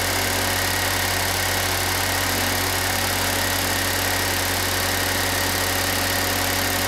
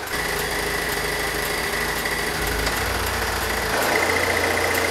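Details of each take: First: Pontiac Solstice idling with A/C on after replacing the compressor, while recharging with R134a: steady, even idle with a constant hum, no knocks or rattles; engine and new compressor sound healthy. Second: Pontiac Solstice idling: light fairly quick rattle that starts only when defrost or A/C engages and stops when switched off; diagnosed as the A/C compressor.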